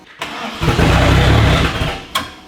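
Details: About a second and a half of steady cranking that never fires, then stops; engine cranks but won't start. Smoke was pouring out of the catch can; it ran well until recently, cause unknown.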